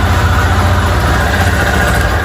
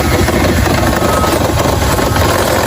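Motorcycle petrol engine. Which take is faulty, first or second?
second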